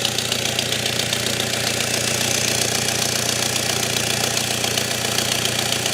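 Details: BMW with smoke coming from the engine bay, at idle: sharp rapid ticking chuff of about four a second with a hissy edge. This is a physical exhaust leak.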